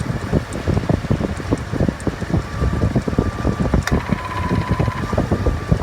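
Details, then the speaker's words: 1999 Chevy Silverado after AC compressor clutch replacement and recharge, engine running: faint whine then a distinct clack as the clutch engages, compressor cycling in and out as pressure builds and drops back to about 50. "When the pressure starts to get a phenomenal spot, the system likes it, the pressure starts to kick in and out as you are observing this video. Very interesting. So now as you hear it, pressure builds up and the compressor kicks in, drops it back to 50."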